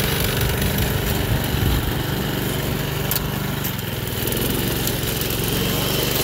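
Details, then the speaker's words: Toro 53 SP commercial self-propelled mower after drive belt refitted on clutch: small single-cylinder engine holds steady even drone with blade spinning, no slipping or grinding; all gears and self-propel working. "all the gears work everything is working good on it always has"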